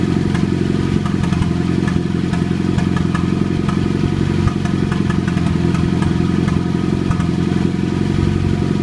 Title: Popping noise